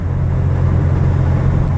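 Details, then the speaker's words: Toyota 4Runner at 55–almost 60 mph on a cold day after replacing the rear differential bearings, which cured the earlier growl, howl and rumble; now only steady low road rumble, no growl or howl — rear differential quiet. "replacing those bearings in the rear end solved my problem so it was uh well worth it to me to get it fixed and let me go a little faster here 55 almost 60 and it's quiet"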